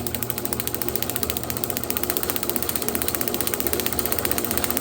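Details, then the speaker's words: Unstyled 1936 John Deere A magneto bench check with tachometer, around 450 rpm: crisp, evenly spaced spark snaps, roughly four a second, over a light whir; good strong blue spark, normal magneto. "oh yeah right there that was a good strong spark right there very good strong blue spark so that's great"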